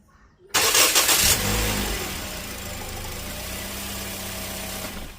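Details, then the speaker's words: 2015 Toyota Corolla with the 1ZR engine, cold start after a repair for a harsh cold-start noise: it catches cleanly, flares, then settles into a smooth, steady idle with no tapping; the noise is gone. "So I'm not hearing the noise like before. So, I'm definitely going to call this a fix."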